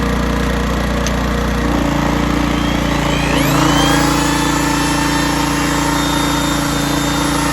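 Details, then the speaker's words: 1980s Honda generator with hard-starting fuel issues, under load after carburetor mixture screw leaned out about two and a half turns: steady even drone, no surging or hunting; tuned between too rich and too lean, running well. "all right this is still running good under load this thing here I'm gonna call it done I'm calling tuned uh I found that sweet spot in between too rich and too lean"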